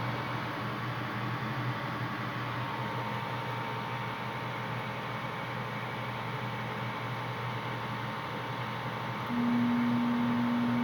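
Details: Home furnace not heating (64°F vs 68°F set), igniter not glowing, flame not lighting: steady low electrical hum with no air rush, louder tone near end; owner suspects blower motor bad or underpowered, unconfirmed.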